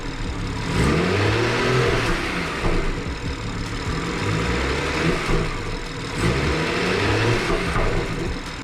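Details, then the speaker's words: BMW 440i (B58 engine) after new spark plugs replaced the old ones, check engine light now off: quick revving blips and a settling rumble, smooth with no stumble. The idle used to jump in RPM but is now stable, so the engine sounds normal. "But yeah, it sounds good so far. Idle sounds pretty good, guys. So nothing crazy so far."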